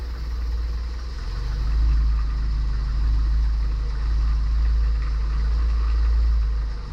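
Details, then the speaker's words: 1977 Triumph TR7 after cleaning its gummy, pitted distributor points, fed from an auxiliary fuel tank to the mechanical pump: starts well and settles to a steady, even low idle with no misses; the viscous fan is broken and rattles. "Oh well, no problem. Starts pretty well now."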